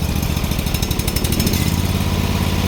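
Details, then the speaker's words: Bolens HT-23 garden tractor twin, first cold start of the year, on choke: uneven, lumpy chugging with dropped firing pulses, one cylinder cutting in and out; owner suspects fouled spark plugs, overdue for change, expects it to smooth out once warm. "choke one cylinder's already sounding like a foul damn"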